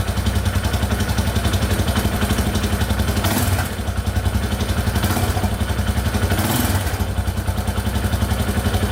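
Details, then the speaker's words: 2001 Yamaha Warrior 350 after adjusting a very loose exhaust valve: thumping idle with throttle blips, top-end ticking gone and knock reduced, but a faint clattery rattle remains by the timing chain; owner suspects the timing chain and will tear it down. "alright so the ticking in the top end went away but i can still hear it a little bit by the timing chain so we're just gonna tear it all apart and take a look"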